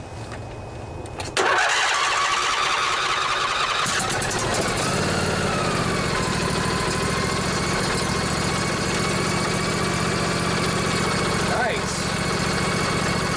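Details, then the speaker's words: Craftsman DYS 4500 riding mower, Briggs & Stratton 24 hp twin Intek, which had only clicked after storage. Now it cranks and catches into a steady idle, retried with the choke on. Normal cranking and start. "yeah i think we're out of gas but at least we're turning over now so that was the big problem"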